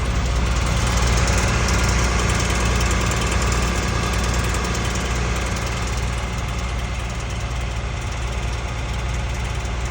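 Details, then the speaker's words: Hotshot pickup truck idling at about 1200 rpm: an even, fast rattle of two or three beats a second over the engine drone, traced by stethoscope to the passenger-side motor mount bolts, which carry a heat shield; exact cause unconfirmed. "I don't know if you guys remember the rattling noise I was telling you about that my truck is making when I idle it at about 1200 RPM."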